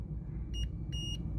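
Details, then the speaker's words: Stern Galaxy pinball sound fault diagnosis: multimeter continuity test between green and green-yellow wires gives short high beeps in broken, irregular bursts over low hum; false reading because connector is still in its housing and must be disconnected. "I think my multimeter is calling out Morse code I've got one lead in the connector to Green kind of like solid green the other to green yellow which makes no effing sense and my multimeter is sending out Morris code"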